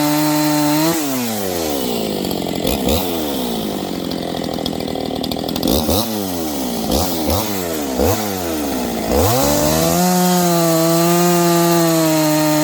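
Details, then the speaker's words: Freshly built Husqvarna 268XP chainsaw with 24-inch bar, early break-in cuts: revs keep sagging and picking back up under load, slowing down and speeding up; new engine not yet broken in. "You can hear it. It's kind of slowing down and speeding up. This thing's starting to wake up."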